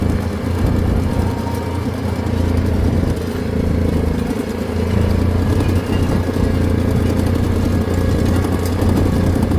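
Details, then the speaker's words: Farm ATV driven along the driveway after slimming a leaking tire: a steady low engine drone with light clickety-clack clatter, from rear axle bearings going out after the axle boot tore; not fully broken yet. "tore, and the bearings going out on the axle, so you'll hear a lot of clickety clacketing. That's what that is."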